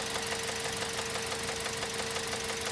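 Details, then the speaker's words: Mazda 3 2.0 petrol engine idling, rod bearings already replaced: fast, light ticking knock over a steady tone that mimics rod knock but comes from the plastic intake manifold flaps. "Но мы сейчас говорим про тот стук, который тоже очень похож на шатунный вкладыш."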